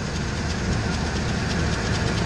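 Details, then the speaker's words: Ford Expedition 5.4L Triton V8 idling near 1,000 rpm: fast, light clicking over the engine note, steady with idle; owner suspects the serpentine fan belt, source unconfirmed. "hear that odd noise kind of clicking there chicken I'm guessing that's a 1 B see if I'm right"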